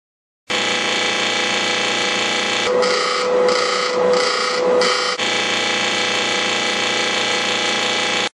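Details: General Electric clothes dryer noisy at startup: harsh, steady buzzing rattle with a brief pulsing squeal midway; blower (ventilation) wheel is the part to check, cause suspected, not confirmed.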